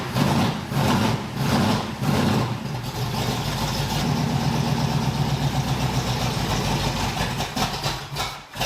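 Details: 1981 Cutlass Supreme small-block Chevy V8, cold start after retightening the polylocks during valve hot-lash: it catches and stumbles with lumpy, uneven pulses, then settles to a shaky idle. Rough running from overtightened valve lash.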